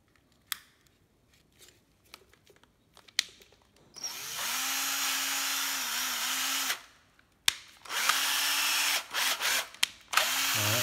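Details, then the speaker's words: Hitachi 9.6V cordless drill fitted with a 12V battery casing: two clean bursts of steady motor whine holding an even pitch, no grinding or catching; 22 clutch settings, runs very smoothly. "rất là mược 22 cấp trược một cấp K nhanh dầm Ok"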